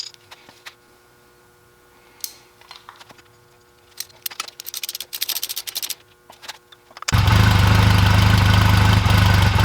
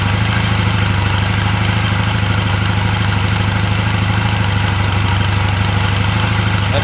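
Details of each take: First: 2004 Honda Rebel CMX250C twin with new NGK CR6HSA plugs gapped 0.024-0.028 in: starts after clatter, idle beat wavers unevenly; rough idle traced to the new plugs, better with old plugs. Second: 2004 Honda Rebel CMX250C twin: new NGK CR6HSA plugs, gapped 0.024–0.028 in, gave a rough idle. With the old plugs put back it idles with a steady, even putter and evenly spaced firing, running fine.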